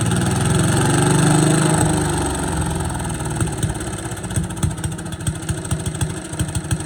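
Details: Boland's 3.5 chipper shredder, unused for at least 20 years, running on its own gas tank without starting fluid, fuel line dripping slightly: small single pulls strongly, then speed sags and firing turns uneven and popping, though it keeps running.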